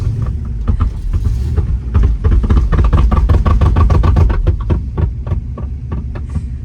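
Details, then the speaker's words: 1964 Pontiac GTO, 389 Tri-Power 4-speed, after a clutch dump: low engine rumble with loose uneven clunks about three a second from underneath, beating on the floor when moving off. Broken transmission mount suspected. "It's done that. You really get after it, it beats on the floor."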